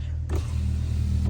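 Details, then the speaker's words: 2020 Ram 1500 right rear power window after replacing the broken window motor and regulator: smooth, even motor hum as the glass travels fully up and down, with no grinding or clicking. Normal power window operation after repair. "So I'm gonna roll it all the way up. There you go, all the way up, all the way down. There you go."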